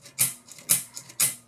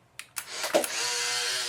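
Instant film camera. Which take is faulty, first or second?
second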